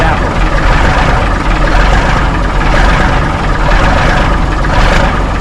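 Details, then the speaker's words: 1964 B Model Mack truck diesel, after its cold start: loud idle with slow, uneven pulses and no crispness, sounding lazy; cause not yet found. "I don't know what a down sound like. It sounds lazy."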